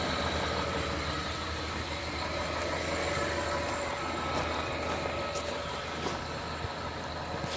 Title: Chrysler 300M Possible Rod Knock (Video For LH Forums)